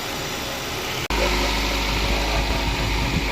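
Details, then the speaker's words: 2013 Nissan Altima 2.5 S, 225,000 miles, idling just after a new alternator, battery and belt install: after a brief dropout a low, steady, even hum with no squeal or rattle; the earlier noise is gone, normal idle. "Alright, that noise is gone."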